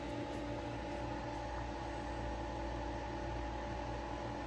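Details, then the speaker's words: Frigidaire EFIC117-SS ice maker, powered on unexpectedly working: steady, even low hum of the compressor running smoothly with no knocks or rattles; normal compressor operation. "Is it really, is it gonna work now? It sounds like it's working now."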